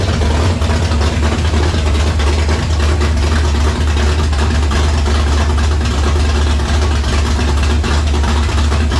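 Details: Foxbody convertible with reassembled carburetor: deep, heavy, slightly uneven idle running on choke; rough idle, owner concludes carburetor fault, suspects something plugged in the mid-range circuit.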